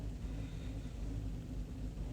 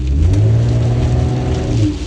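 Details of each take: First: 2013 Chevy Cruze with low power, won't exceed about 30 mph, MAP performance code: uneven loping idle that worsens, fuel trims maxed and climbing; vacuum leak. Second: 2013 Chevy Cruze that had low power, whining noise and wouldn't exceed ~30 mph, with cam solenoid code from very low engine oil; after adding oil: strong smooth rising acceleration with no hesitation, power restored.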